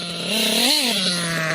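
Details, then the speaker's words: Kyosho KE25 Big Block nitro engine being tuned at high speed: high buzzing whose pitch briefly sags as the engine tries to cut out. The high-speed needle is set too lean, so it will be backed out two to three hours. "I could hear just then that the engine tried to tried to cut out just a little bit so we're too lean on the high speed"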